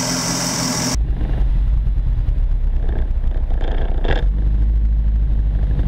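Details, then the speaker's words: Mk1 Ford Fiesta XR2 newly converted to fuel injection with Jenvey throttle body and Omex 600, held at full throttle: deep rumble with uneven, stumbling beat, still misfiring; owner suspects injectors at the limit of size and injectors aimed unevenly into ports. "no that's full throttle this is still got the misfire yeah kind of sorting it out i think the injectors are [ __ ] on the limit of being big enough"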